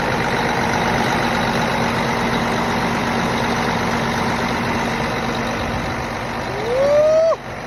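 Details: Cummins ISX diesel after a new fuel pump head was installed to fix code 559, low fuel rail pressure (SPN157 FMI18), with a check engine light going uphill. Now a steady, even idle drone with no misses or knocks, and a rising whistle near the end; running healthy.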